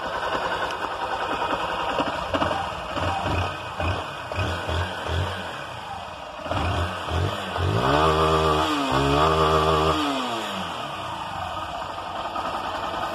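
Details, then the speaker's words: Honda Titan 160 motorcycle after cam (timing) chain replacement, which cured a customer's engine noise without engine rebuild: even single-cylinder idle with quick rev rise and fall, no chain rattle or ticking; normal idle. "E aí eu vou ligar para vocês verem que aquela zoada vai sair e não precisa fazer o motor da moto né"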